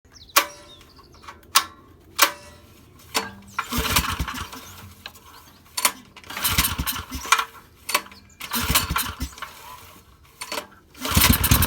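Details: Suzuki SV2300H generator that won't start: repeated recoil pulls, each a short whirring burst that dies straight away, and the engine never catches; no-start, cause unconfirmed.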